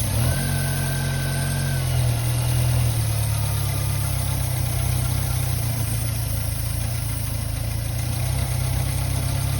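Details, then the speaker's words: Subaru Sambar kei truck, about 29 years old, after winter storage: steady starter drone with the engine spinning but never firing. The fuel pump is bone dry and won't prime, so fuel isn't reaching the carburettor. "well how we going to get that pump to prime imagine we're going to have to go get some longer fuel hose and put like a funnel up here down to the pump okay to probably get this thing happy again"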